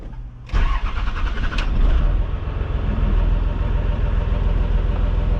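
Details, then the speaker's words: Diesel hotshot truck near 500,000 miles after starter replacement, started without throttle: very brief crank, catches at once and settles to steady low idle; starts far quicker than before, normal quick start. "That starts fast. That's insane how quick that starts compared to what it used to."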